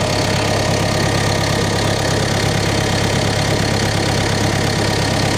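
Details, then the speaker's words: CAT 420F diesel at its first start after a service: a steady, even idle with a smooth low thrum and no belt squeak or knocks, sounding healthy; the hydraulic level is noted as low. "Make kitty cat purr again. She sounds good. No squeaking. No engine belt squeaking."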